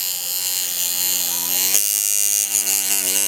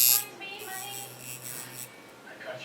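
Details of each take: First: Good-quality coil tattoo machine: a strong, steady, high-pitched buzz with no bogging down; it is hitting cleanly and running as it should. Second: Cheap Chinese coil tattoo machine at 5.2 volts gives a thin electric buzz that stutters and drops out unevenly; frame vibration makes it run inconsistently.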